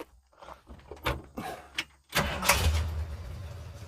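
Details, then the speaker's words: All-original 1977 Ford F-150 farm truck after full wiring harness and ignition system replacement: light clatter, then it catches instantly on one short crank and settles into a steady idle; healthy start. "See? You really can't ask for anything more than that. It pops right off."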